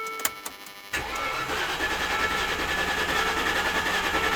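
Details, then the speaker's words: Land Rover Discovery 2, sitting over 3 years with a misfire, on first start. It cranks then catches into a ragged, uneven idle; the owner suspects air still in the fuel line. "That's not good. Probably still air in the fuel line. Come on, wake up."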